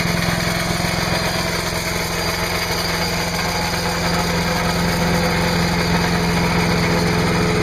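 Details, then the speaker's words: Trash-picked MTD chipper/shredder, 5 hp Briggs & Stratton, after new spark plug, new air cleaner, oil change and clean gas: fast, steady, even running, no stumbles or surging; healthy, nothing really wrong. "yeah so there you have it free chipper with a 5 horsepower Briggs and Straton engine trash picked it from my neighbor across the street nothing really wrong with it wasn't a hard troubleshooting was it"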